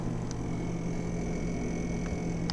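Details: Frigidaire FRS23W3AW1 refrigerator, owned since 2005; low steady fan hum with thin high whine and faint ticks as ice builds around the evaporator fan from water leaking past the ice maker down spout.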